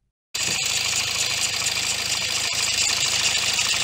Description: That metallic rattling you hear when starting from cold, that sharp knocking that appears for a few seconds and then seems to disappear, is usually the first warning sign that the timing chain is no longer working as it should.